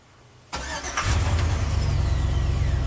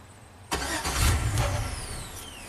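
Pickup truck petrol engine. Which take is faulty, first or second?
second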